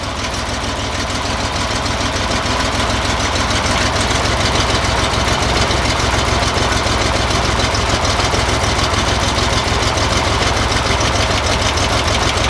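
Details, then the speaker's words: 1963 Chevy Corvair Monza air-cooled engine idling during valve adjustment: light quick ticking about three beats a second from excessive valve clearance; stops when valve loosened, then tightened a quarter turn. "we got started so if you guys can hear that's the little ticking noise i just loosened this first valve right there it went away"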